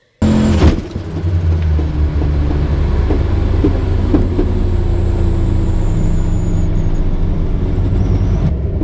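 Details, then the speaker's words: Truck driveline failure, owner suspects a driveshaft u-joint cap came out: the shaft wedged between bed, frame and crossmembers spinning, then dropped and struck the ground. Heavy rumble with sharp knocks about once a second, camera vibrating; the flexplate flexed into the oil pan. "and then started hitting the ground that's when you hear the okay and you can see the camera vibrating and all that junk"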